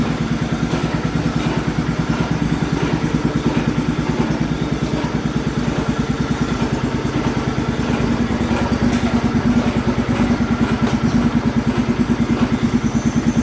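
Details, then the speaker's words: MTD lawn tractor with a swapped-in engine, starter jumped because of a bad solenoid, test drive: fast steady chattering clatter over the small engine's putter. A stuck idler pulley underneath is chattering. "there's definitely a stuck idler under there you can hear it chattering"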